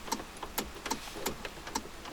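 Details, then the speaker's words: Honda Accord electrical no-start: sharp light clicks about twice a second, no starter whir or cranking; a relay moves, suggesting the ignition switch registers start position, so owner concludes the switch is likely not the culprit. "parce que si j'entends un relais bouger ça veut dire que le contacteur de clés entre guillemets il sait qu'il est en position start mais"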